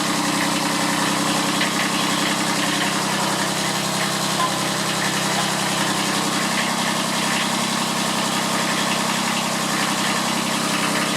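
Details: Kubota B7001 diesel tractor, about 10 °C, just started after two months unused and a hard cold start, in neutral: steady even idle clatter, no stumbling or hunting; normal diesel idle.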